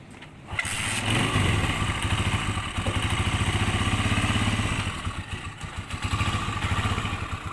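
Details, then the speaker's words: Honda CG 125 after repair of the noise problem, with a broken support replaced: kicks into life and settles into a soft, even putter at about three beats per second with no clatter; healthy idle. "दोस्तों यह आप देख सकते हैं कि बिल्कुल कोई आवाज नहीं है बिल्कुल सॉफ्ट हो गई गाड़ी हमारी"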